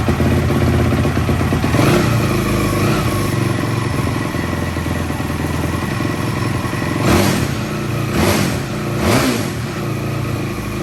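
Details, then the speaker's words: 2004 Yamaha YFZ450 ATV single-cylinder after rebuild with new exhaust, exhaust just tightened: steady idle then three quick throttle blips rising and falling cleanly, no rattle or stumble; oil leak followed because the sprocket was left off. "All right, seems to be running good."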